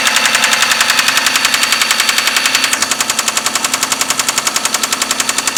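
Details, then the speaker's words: 6A13 engine started with difficulty at night: loud, sharp, evenly spaced knocking over a rough idle, present immediately after start and very strong; heavy internal knock with its source not yet found. "Стучала сразу. Очень сильно."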